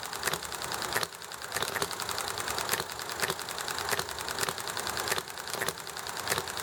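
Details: Enjomor model engine popping along sweetly: sharp firing pops about once a second with quiet coasting between, amid clicky background noise from highway traffic, the alley and a chatting neighbor; normal hit-and-miss running.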